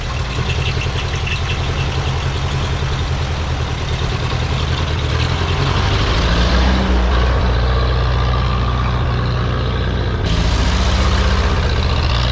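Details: Ferguson TEA 2085 tractor, thought to be a 1951, reassembled; strong, even low thumping about four pulses a second, steady, no knocks or misses; all fixed up; normal running.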